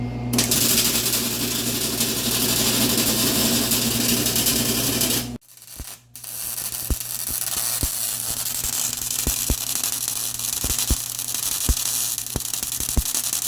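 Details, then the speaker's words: MIG welding motor mount for Honda Odyssey FL350 electric conversion, gas set around 50: harsh crackle then choppy uneven popping with sharp spiky stutters instead of smooth sizzle; wire feed speed too fast, later turned down to 5.5. "Do I need to crank the filler or the gas up? Actually, it feels like the wire's too fast."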